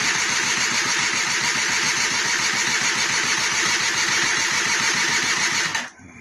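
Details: 1999 SYM Jet 50cc scooter with a charged battery, on electric start: weak, soft crank at about three and a half turns a second that never catches; piston rings later found jammed with no gap.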